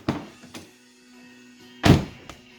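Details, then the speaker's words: Infiniti G35 power window after motor replacement and window reset: door thunks, then a short steady motor hum as the glass runs up smoothly and stops; window working normally. "we did the reset button everything looks like working window goes up"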